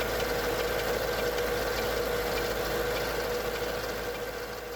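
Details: Mercedes E55 AMG, M113K supercharged V8, cold start: fast, light mechanical ticking, roughly three a second, from the left bank cylinder head. It appeared after switching to 0W40 oil and 98 fuel, and disappears after 10–15 minutes. Owner suspects lifters or timing chain. Cold start ticking.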